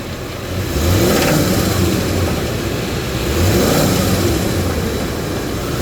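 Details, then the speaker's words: 2011 Ford E350 van, 5.4L, during a pre-purchase inspection: the engine revs up and falls back twice with a low mid-pitched roar, and a faint knock comes in around 2,000 rpm under acceleration; cause unknown. "I heard what kind of sounded like a knocking sound possibly coming from over here all right I'm going to sit this right here and I'm going to go accelerate"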